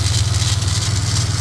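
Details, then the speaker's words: Ford EF XR6 Falcon 4L SOHC engine at a warm idle with a steady low drone and a light, fast rattle on top. The owner suspects the power steering pump or its pulley; the pump is leaking a little. "Sounds a bit rattly though, doesn't it?"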